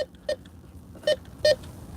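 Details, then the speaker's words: Bounty Hunter Tracker IV metal detector in all-metal mode: three short, crackly, broken tone bursts, suggesting something that rusts, possibly a wire or paper clip. "So that tells me that could be something that rusts, but it could be like a piece of wire this time, or maybe a paper clip."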